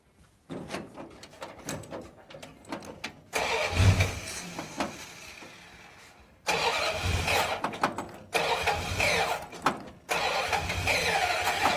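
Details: 1935 Ford truck, previously locked-up engine being revived: repeated short cranking bursts catch into uneven, stumbling running that never settles to steady idle; crew notes a vacuum leak and carburetor trouble, cause not confirmed.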